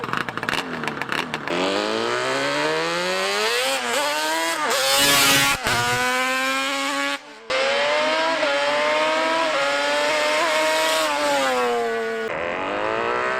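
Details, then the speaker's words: Honda Grom with 350cc Banshee two-stroke swap, larger rear sprocket, ridden hard: raspy buzz climbing and dropping through gear changes, flattening near the top; rider hears it running a little lean on top end, not full power. "Right now I can hear that it's running a little bit lead on the top end, so I'm not getting the full power."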